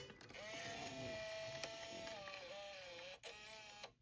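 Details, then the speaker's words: Sharp VL-H870 ViewCam Hi8 camcorder after repair of tape transport that ground when ejecting; half the covers off so louder than normal; smooth unload whir gliding down and stopping cleanly with no crunching; transport fixed. "Let's go ahead and do an unload and see if we can get this unloaded. Yes. No, no more crunching sound."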